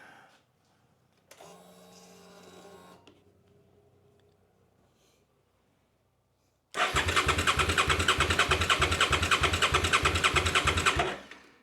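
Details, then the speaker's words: Crashed 650 motorcycle, around a 2011 model, that has sat unused: a steady starter churn of about three turns a second that never catches; a spark tester shows no spark, and a tripped tip-over sensor from the crash is suspected. "Spark all right like you could see we have no spark so this is most likely our issue why the bike won't run"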